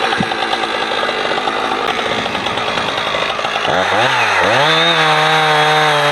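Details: Husqvarna 455 Rancher two-stroke chainsaw, warmed up, cutting a heavy block after a fuel filter change; it had choked when warm. Revs high, bogs briefly entering wood, then holds a strong steady cutting tone; old filter discolored brown.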